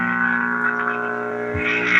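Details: All American Five/Six tube table radio, warmed up and tuned to a station: a steady loud low buzzing hum sits under faint station audio. A faulty filter capacitor is suspected and tested by bridging it with a known-good capacitor.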